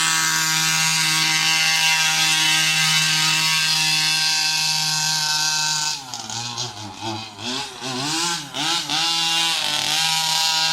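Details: New Rovan 36cc double-ring two-stroke in a King Motor Baja 5B, running in, being warmed on a slow lap, carb not re-primed since last start: high buzz holds then stumbles and wavers for seconds; misfire from fuel starvation.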